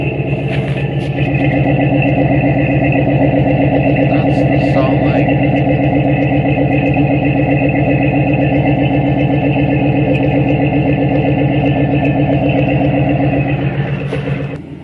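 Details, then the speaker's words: 1997 Dodge Dakota 5.2 V8 after its rotten muffler was replaced with an inexpensive Lawson two-port muffler joined to the single exhaust pipe. Steady, even V8 burble with a deep, smooth exhaust pulse and no rattles or leaks; the new muffler sounds healthy. "Okay guys, that's the sound of the LAWSON muffler with a 2-port exhaust connected to the single pipe exhaust."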